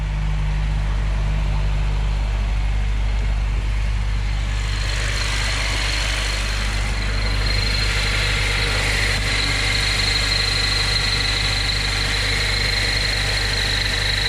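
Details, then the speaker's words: Honda Civic with K24 swap on an old high-mileage K-series crank pulley: steady idle with a thin high squeal; the pulley's rubber damper is splitting apart, damaging the timing cover, replaced with new OEM pulley. "The whole thing's literally splitting out, guys. You're gonna see what I'm talking about when I pull it apart. That's definitely the problem, guys. It's definitely the crank."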